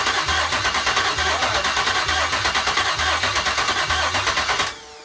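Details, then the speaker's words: GM L86 6.2L Gen V V8 on an engine stand, first start after Speartech harness and fuel system install: starter cranks evenly, about three pulses a second, but it never catches because no gas had been put in yet. "just needs a little gas up oh i haven't put gas in it yet"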